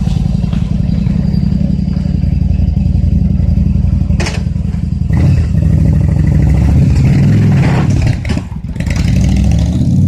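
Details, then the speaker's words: Yamaha XVS1100 V-twin after a fuel system overhaul including cleaned carburetor jets, on half choke: deep rumble revs cleanly on throttle blips and settles with no stumble, running far better than before. "well she runs beautiful now way better than what the way it was running when I got it here"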